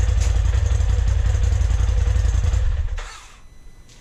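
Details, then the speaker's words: 2020 Polaris RZR Turbo S Velocity, turbo engine on the stock exhaust before a Trinity Stage 5 slip-on install: it starts and revs with deep, even exhaust thumps at a steady beat, then shuts off cleanly; normal, healthy. "Before we get too far into this, I'm going to go ahead and do a stock exhaust sound so you guys can see what it sounds like before and after."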